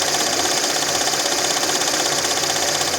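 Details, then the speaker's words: Lada Niva 4x4 Legend VAZ 21214 idling: light steady tapping about three per second over even idle; owner suspects timing chain needing tension, checking tensioner, damper, power-steering roller, pump and valve cover; unconfirmed. "вообще непонятно что там стучит сам движок то работает вроде нормально Ровно"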